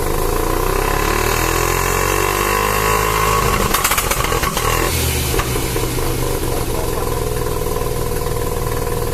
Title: Rexy Savanna Rx7 SA22C 13B stock exhaust idling + misfire under boost